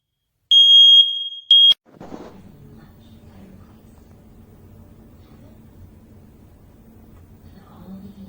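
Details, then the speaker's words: First Alert combination smoke and CO alarm, battery operated, made 2018, battery recently changed, previously near-silent: after 5-10 minutes a loud piercing high tone sounds, then a short second blast at full volume; normal alarm sound. "However, after 5-10 minutes, I can see the normal sound coming out of device."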